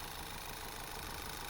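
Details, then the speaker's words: Petrol engine idling with a terrible misfire, an uneven lumpy beat; coil packs tested by unplugging connectors one at a time, the fault traced to one cylinder's failing coil pack. "As you can see here, this vehicle has got a terrible misfire on idle."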